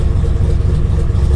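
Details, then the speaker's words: 7.0L 427ci LSx V8-swapped RX-7, first start after sitting five months over winter, no throttle input: deep rhythmic lumpy big-cam idle rocking back and forth evenly after initial start-stall, settling in healthy; normal lopey cam idle. "giving that rocky rocky back and forth i think we good now boys and girls"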